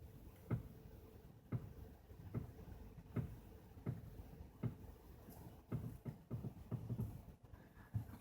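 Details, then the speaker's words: 2010 Toyota Corolla Matrix, previously sideswiped and semi-professionally repaired, stationary: dull irregular pops and creaks from both front sides as the steering reaches full lock either way, varying with how far it's turned; no visible leaks or torn boots. "it's almost like a popping sound and it can be controlled with how far you turn the"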